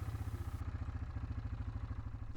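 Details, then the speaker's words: 2006 Kodiak 450 ATV after repair: it had been leaking oil, over-full of oil and wouldn't start; carb cleaned, seal and air filter replaced. Even single-cylinder idle, regular thump, nothing irregular — normal idle. "all right so this Kodiak was a quick and simple easy in and out clean the carb replace the seal replace an air filter and she's good to go back to the owner"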